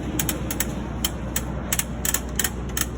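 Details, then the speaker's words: Cessna main gear axle loose where it attaches to the strut through one bolt, rubbing and popping: sharp irregular pops and clicks, several a second, over a low rumble; sounded like it came from the cockpit. "okay well it is definitely the axle where it attaches to the strut through that one bolt there so you can hear so you can actually see where it's been rubbing and popping there and there"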